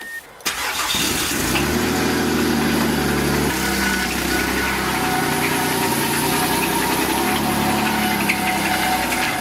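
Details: Mazda 6 after engine failure cranks, catches and settles into a rough idle with irregular ticking and rattling, new abnormal engine noises; cause not yet known, teardown and diagnosis planned.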